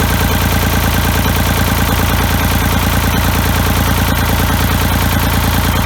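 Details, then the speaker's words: Ford 3000 diesel tractor after freeing rust-stuck Simms injection pump plungers, cleaning and testing injectors and bleeding the lines: steady, even diesel clatter at idle with a regular firing beat, no stumbles or misses; running smoothly. "that sounds like it's running pretty good now you shut it off"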